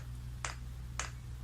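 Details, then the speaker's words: Chinese diesel heater with a rotary controller, off button held to prime: soft sharp clicks about every half second over a low hum as the fuel dosing pump runs alone; normal priming. "what you do is you press and hold the off button and you can hear that pump clicking now all that's happening is the pump only and it's priming"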